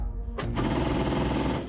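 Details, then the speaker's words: 1969 Ford Mustang, long unused, with restored carburettor: starter cranks slowly with a laboured, rattling churn that never picks up speed; battery power insufficient even with double jumper leads from a bigger battery. "Oh, it's better. Okay, so it's just power. It needs more power. Even with double jumper leads on, it's still just wasn't enough."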